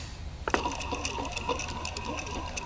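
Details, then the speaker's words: Junkyard replacement A/C compressor for a 1990 Jeep Cherokee, engine off: hand-spun pulley coasts with a light, uneven grinding, ticking rasp from a worn pulley bearing that needs replacing. "this one has a little bit of uh grinding you can probably hear that so there is a bearing in"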